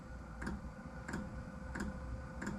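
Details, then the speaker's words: Diesel heater at start-up, set around 4.5 Hz (medium): sharp, evenly spaced ticks over a low steady fan hum as the fuel pump starts pumping, about three or four minutes into the cycle; normal. "it takes about three or four minutes for it to do this I hear that ticking that's the fuel pump pumping so it's gonna get ready to"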